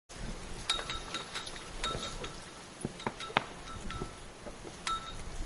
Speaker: That sound comes from the rope on a flag pole. When the wind moves it, the metal clips hit the pole.